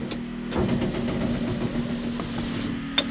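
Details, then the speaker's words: Bronco with Powerstroke diesel swap, key on: steady low electric motor hum for about three seconds as the rear slider window, driven by a swapped-in 6.0 switch, rolls down smoothly without grinding or binding; normal power window operation. "turn the key on you hear the vacuum pump the fuel pump and all that stuff working the glow plugs I installed the uh rear slider window switch here from the 6o and I use that to roll the window down in the"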